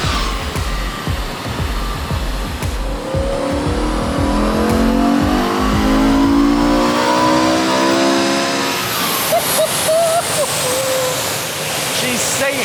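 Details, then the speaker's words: E61 BMW M5 Touring, 5.0-litre V10 converted from SMG to manual, dyno power run: winds up smoothly to a high, clean scream under load, then eases off, no knocks or rattles. Healthy engine at high rpm. "He's absolutely singing. That's very healthy. That's very happy with that."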